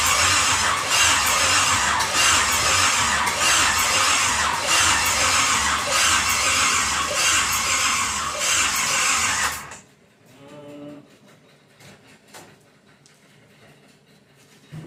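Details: Pontiac 350 V8 in a 1950 Pontiac gasser with 6-speed, first fire-up with headers on, some fuel in the bowl: starter churns an even two beats a second for ten seconds, never catches; no start, ignition timing possibly off, battery needing a charge.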